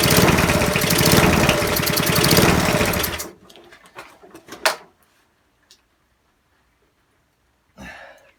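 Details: Non-running eBay spares petrol mower after reassembly with fresh oil and petrol: single cylinder fires and runs with fast even chatter about three seconds on choke, then cuts out; engine starts and runs on choke.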